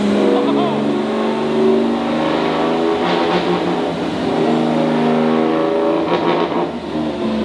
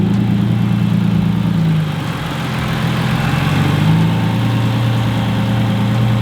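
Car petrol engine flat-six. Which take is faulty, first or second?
first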